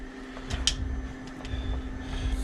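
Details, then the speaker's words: Hellcat electric fuel pump in race car after failed dyno (pump drew ~18 A, tripping AIM PDM), running flat out circulating and returning fuel, static pressure 48; quiet steady hum, no surging or grinding: normal fuel pump running. "So we can hear that is pumping fuel around, returning."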